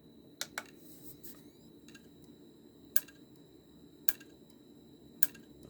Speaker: this is what we in the computer industry call the click of death